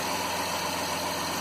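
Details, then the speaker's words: 2009 Dodge Grand Caravan at idle after cleaning plugged power steering reservoir filter and refilling low fluid with stop leak (slightly overfull; small leak suspected): light steady hum, no growl or moan; pump now quiet. "But as you can hear, it's quiet. The power steering pump is not humming or making a lot of noise."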